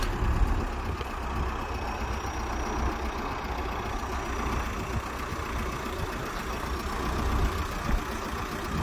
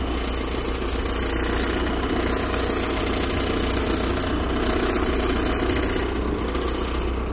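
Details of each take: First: VW Golf MK4 TDI after alternator replacement to fix screeching when turning the steering wheel: even diesel clatter at steady idle with no belt squeal or chirp; problem fixed. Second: VW Golf MK4 TDI at a steady diesel idle, squealing in bursts when the steering wheel is turned left and right. The owner suspects the belt-driven components and replaces the alternator and belt.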